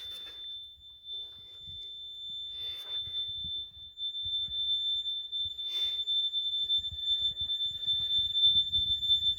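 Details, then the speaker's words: Fire alarm panel sounding a steady shrill trouble tone after a smoke detector was removed to open the loop, showing zone trouble from supervisory current detecting the open detector circuit. "fire monitor Zone trouble that is how supervisory current Works ladies and gentlemen"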